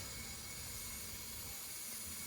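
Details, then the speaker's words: Car with a Rotrex supercharger running rough while cruising, boost system pressurized to about 15 PSI: a steady, airy hiss of air escaping from a boost pipe joint, located with a soapy spray. Reaching it may require removing the bumper. "would have to take your bumper off, but you can hear it right here coming out."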